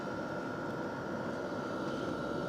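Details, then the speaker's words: Hcalory Toolbox Compact 2s diesel heater turned down to heat level 1 of 10 and slowing itself; smooth even whoosh with steady mid-pitched fan tone, no surging or rattles; still very hot air, running normally on low. "So that's heat level setting 1, we have 10 of them. You can feel it slowing itself down."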